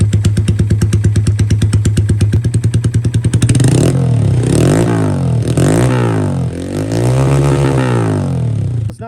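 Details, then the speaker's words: Honda Grom SF with OG Grom engine swapped in after original engine failure, warmed up, different injector and cam, ECU self-tuning: even idle, quick throttle blips dropping straight back without hanging; running good. "Nick's going to ride that make sure everything's running good which it seems to be running good right now"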